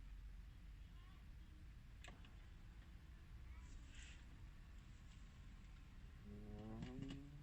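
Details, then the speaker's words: 2003–2007 Honda Accord HVAC, ignition on: brief creaking groan with clicks as the recirculation door actuator moves, worse when switching off recirculation; sticky actuator from lack of lubrication in its gears. "the problem I'm having currently is that the actuator for the mode door for the actuator that controls the recirculation function is a bit sticky, so you would hear this sound."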